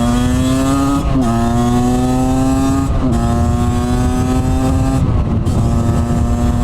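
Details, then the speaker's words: 50cc Aprilia two-stroke, stock cylinder, carb slide cutaway enlarged from 30 to 40: revs through shifts dip and hesitate after each change on throttle opening before picking up; was super rich, now running slightly too lean. "It was running super rich and now it's running like slightly [snorts] too lean."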